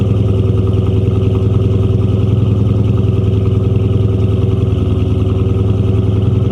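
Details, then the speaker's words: 1997 Mustang GT, 4.6 V8, 5-speed manual, which needed only an intake manifold: steady, even V8 burble with a clean, regular beat and no knocks, misses or rattles; runs perfectly. "As you can hear, she runs absolutely perfect, guys. I mean, 100% perfect."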